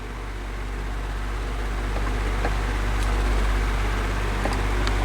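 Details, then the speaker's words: 12-inch oscillating desk fan, unknown brand, on low speed before service: steady hum with faint uneven ticking rattle from worn thrust washers and dry steel bearings; quiet after lubrication and new thrust washers. "this also has a little bit of a sound to it like a rattling noise on low which which it probably won't do now because we have the camera on yeah it's doing it"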